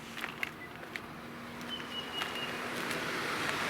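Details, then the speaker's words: 2011 Infiniti M56, VK56VD V8, at just over 100,000 miles, engine off with accessory power: a quiet airy whoosh builds as the right cooling fan runs on its own; faulty right fan control module (21493-4GA0A). "can you hear that one of my fans is running"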